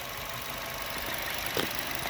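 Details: 2008 Honda Jazz 1.4 i-DSI (dual spark, eight plugs), 78,000 miles: soft, steady idle with an even beat and no knocking or clatter; quiet, healthy engine.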